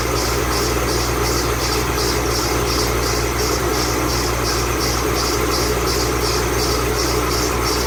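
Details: 2008 Bullitt Mustang, 8-rib serpentine belt, idling the morning after sitting overnight in the garage, under 30 miles driven: a high chirp pulses about every half second over the rumble, suspected slipping belt squeal, not confirmed.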